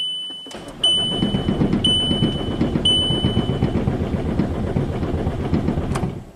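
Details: VW Jetta TDI, likely 2006, down four years after an engine swap, clutch depressed: starter turns steadily at about four even beats a second for five seconds with chimes; engine never fires.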